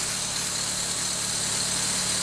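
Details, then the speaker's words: 2013 Dodge Forza after cylinder misfire repair, warming at idle: steady, even low hum under hiss, no misses or knocks; engine now running smooth. "pero compañeros y al carro y al carro está entonaditos"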